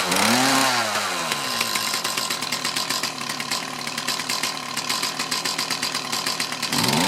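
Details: Mantis tiller with a Kioritz Echo two-stroke that bogged under load, after cleaning around the carburetor and fuel lines: high buzzing revs climb and hold steady with no bogging on acceleration, though the idle is not quite right.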